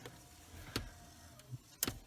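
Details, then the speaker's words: Clarion-made CD unit from a 2004 Saab 9-3, repaired for discs not loading or ejecting, bench-powered at 7.9 V: a short motor whirr and soft clicks as the disc draws in smoothly; normal CD loading. "so it takes the CD in it ejects the CD let's put it back in and we'll so let's turn the fan off so we can hear things and run the disc now and there's the dis plane so there you go that completes the job"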